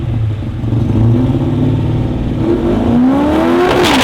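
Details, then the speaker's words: Manual race car at a drag event: revs climb hard with rising pitch, then sag and fall away near the top end instead of pulling through; driver says it suddenly got a gulp of fuel, went boom and had nothing. "that sounds like [ __ ] he at the top end yeah something felt wrong yeah a l even sounded terrible"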